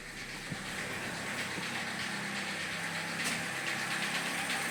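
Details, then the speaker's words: Cold idle on a 2007 Opel Corsa D with a 1.4 Z14XEP engine, which has misfires, unstable running and power loss. Loud knocking and sharp ticking about three a second over an uneven, stumbling beat. LPG equipment is fitted. Ignition misfire. "Я чую, як щось стукає. Стукає досить голосно. І є пропуски запалювання двигуна."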